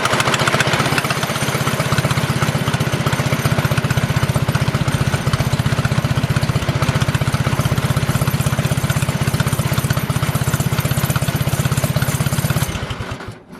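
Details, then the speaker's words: Engine idling with both chokes off on a first drive attempt: steady low thumping at about four beats a second with a faint rattle. Unclear whether the chain is just vibrating or the machine wants to creep forward. "I can't tell if that's just chain vibrating or it wants to drive, so I'm actually gonna back it up a little bit, and then we'll see what happens."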